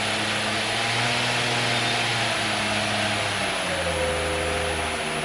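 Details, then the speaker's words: B.A. Shredder 2x72 belt grinder on a VFD running 220V in an apartment: steady motor hum and belt whir, pitch stepping down briefly as the drive reverses, then smooth and even again. "man it run so smooth look at that look that a monster can it's"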